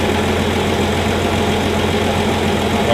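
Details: 1965 Plymouth Valiant 170 slant six, previously stalled after 3-5 minutes from carb boiling due to missing heat riser; after junkyard exhaust manifold with freed heat riser valve, junkyard intake and reman carb: normal idle, smooth steady low hum, no stumbling or stalling.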